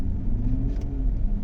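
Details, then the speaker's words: 2015 GMC Yukon V8 running smoothly after a fix, live data shows zero misfires on all eight cylinders; earlier cylinder 6 misfired with a blinking check engine light, now cleared. "ठीक है, सारे सिलेंडर 0 बता रहे हैं, इसमें अभी कोई मिसिंग नहीं है।"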